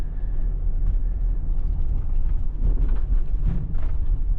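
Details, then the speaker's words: JDM Nissan Elgrand E50 test drive after replacing front swaybar end links: only low even road rumble in the cabin, no knocks over bumps, faint lower thumping possibly from a shock; knocking from bad end links is gone. "Yeah. The little knocking noise is gone. Too bad I don't have a before sound of it."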